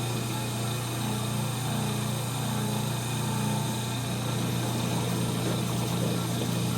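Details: 1930 Gilbert and Barker model 106 clock-face gas pump, after a WD-40 restoration, pumping fuel: steady low motor hum, even unchanging drone, no knocks or surging; smooth under load with good flow and pressure, normal running.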